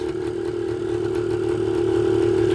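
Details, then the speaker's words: 1980 Suzuki TS125 two-stroke after an ultrasonic carburetor clean, just started on choke: crisp, even, buzzy idle rising slightly, no misses or knocks; normal idle. "hey i'll take it this thing's running great listen to that thing ah she's just purring"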